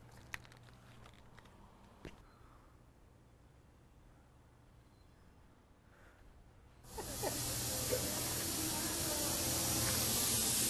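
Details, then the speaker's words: Air brake system on a garbage truck, checked with a leak detector: quiet background, then a sudden loud, steady hiss that holds without letting up, traced to air escaping from a bad brake chamber. "here it is a bad air chamber phew what a relief that only took a few minutes to do the whole system"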